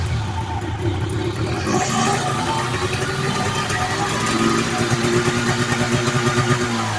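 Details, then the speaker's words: 1980 Arctic Cat Jag 3000 fan-cooled two-stroke snowmobile, sat for years, fuel system cleaned, premix raw gas, on track stand in 90-degree heat: buzzes and rises cleanly under throttle without stumbling or popping; normal running. "I think so it's healthy yeah crank seals"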